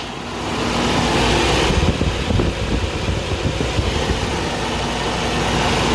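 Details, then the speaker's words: Toyota 22RE engine with A/C off idling high, steady at 1700 rpm cold or hot, then erratic once coolant temperature reached mid-gauge; fast idle rising then hunting; smoke and coolant leak seen, cause not confirmed. "ac is off so i don't know why it's been idling up so high even though it's cold or hot it was steady at 1700 for a while"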